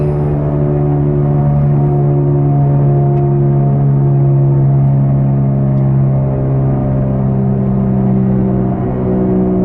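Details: Car at about 80 km/h (about 50 mph): loud, steady low droning hum, the growl of a bad front driver-side wheel bearing. Found by jacking the car and spinning the wheel; owner had first blamed the tires.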